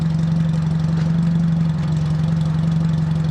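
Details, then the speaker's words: Fiat Panda 4x4 Sisley: steady, even low rumble with no stumbles or dips. Idles smoothly and no longer skips or hunts as it used to. "it's not skipping and hunting and shunting like it used to"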